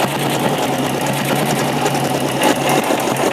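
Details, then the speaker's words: 1956 BSA BB31 single-cylinder motorcycle, just hand-started, idles with quick, even thumping and a steady low hum, no misses or knocks; engine is healthy and the sound is fairly smooth. Normal idle. "suaranya juga cukup halus dia menurut saya dengan buatan tahun 1956 kondisinya seperti ini ini keren banget ya"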